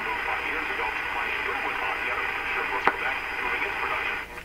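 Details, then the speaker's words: AM radio fed only by a BK 3030 sweep generator, tuned to the top of the band around 1540–1570 kHz: thin steady high whistle over hiss with no station, an image-frequency heterodyne. "pretty distinct it's right at the top like a 1540 or so to me 1570."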